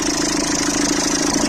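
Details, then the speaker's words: Citroën C3 1.4 HDi diesel, cold idle after starter replacement. Steady chatter with a rattly mid-pitch buzz; the accessory belt tensioner (internal spring) is visibly shaking and failing. Plan: replace the tensioner and belt. "Par contre, tordeur là, à froid, ce que je vous disais."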